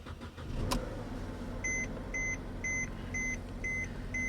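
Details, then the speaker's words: 2015 BMW 750i salvage car, jump-started: six evenly spaced high chimes about every half second over quiet idle, dash reports front left airbag malfunction; airbag warning chime. "And I hear dinging and all kinds of happy noises telling me that she's running."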